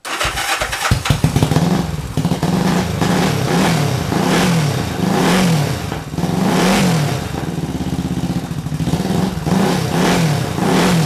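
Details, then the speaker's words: 1968 Honda CL450 after starter clutch repair and clutch cover change: the starter spins briefly, the twin fires right away and settles into an even rumble with clean throttle blips, a normal electric start. "got the clutch cover changed out now and we're gonna have to uh set this thing up and fire it up see if the electric starts gonna work now turn the key on"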